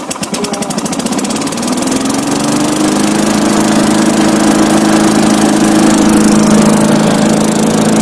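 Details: Tecumseh-powered Craftsman 4-in-1 yard vac, model 247.770100, sat about two years, old fuel cleaned out and fresh gas added; small engine catches and settles into a steady, even buzz with fan whirring up, running smooth and healthy.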